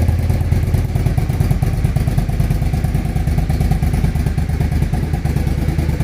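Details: Suzuki TL1000R after fixing a misfire at idle: deep V-twin idle with steady, even pulses about three a second, no skips or stumbles; idling cleanly now.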